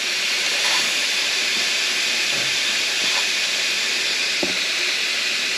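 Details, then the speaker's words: Intake manifold pressure test: a steady high hiss while pressure is held. Air is escaping at several points, including the throttle body and a reused, likely crushed 3D-printed gasket that did not leak previously. "Yeah, it's all over the place. Same thing. See how much pressure we can get in here. It is leaking a little bit from this uh 3D printed uh gasket that I did."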